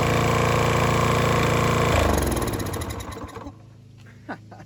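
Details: Toro Timemaster mower, bought as "locked up" but actually a sticking belt, fresh gas, key start: it fires and runs with an even, rapid beat for a couple of seconds before winding down; starts and runs fine.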